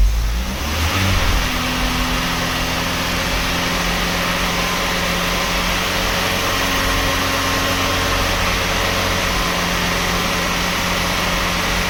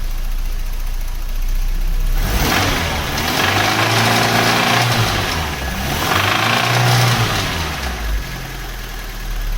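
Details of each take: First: 1991 Cavalier GL, rebuilt 18SEH engine (original 1.8 block with 2.0 8-valve head and cam) replacing rattling 2.0, first start after fitting: catches after brief cranking, steady even idle with no knocking or rattle; healthy. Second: 1991 Cavalier GL, C20NE 2.0 bottom end under SRi 130 top end, lifters and cam swapped without fix: idle rising into revs with dull rapping knock following speed; small ends thought to be knocking, engine declared scrap.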